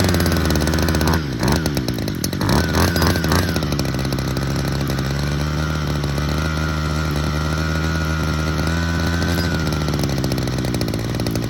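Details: Hedge trimmer two-stroke with JB Weld-repaired intake manifold, just after a carburettor adjustment, screaming flat out and bouncing on its 10,000 rpm limiter with a ragged stutter. Owner thinks the air leak is still there.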